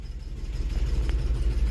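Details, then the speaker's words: Old EFI car at auction, first cold start of the day, possible exhaust leak: deep, slightly uneven idle throb with a faint wobble in rhythm, a cold engine running a bit rough before warming up. "it's actually not running too bad considering I just fired it up probably for the first time today"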